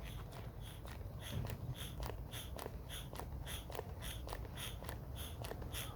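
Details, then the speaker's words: 1991 LA Gear shoe air pump/regulator; even, crisp puffs about twice a second with no leaks or sputter; normal air pump operation. "Sounds great, that. That's how a pump should sound."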